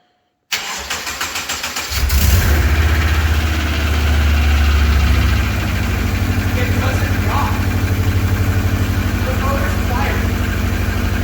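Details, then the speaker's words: Subaru's first start after a water pump job and full reassembly: cranks about a second, fires and settles into a steady, even idle with no knocks. Healthy start. "i mean it still has that like old subaru piston slap but yeah but like in the cold it usually be like it doesn't do that anymore she sounds good"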